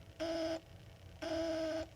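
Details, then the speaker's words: Exit/emergency sign test button pressed: two long harsh buzzer beeps sound as an alarm and the lights fail to come on despite mains power; its two backup batteries are dead and need replacing. "Okay. Now it sounds like an alarm. See? And the lights are not coming on. They should be coming on when I press this."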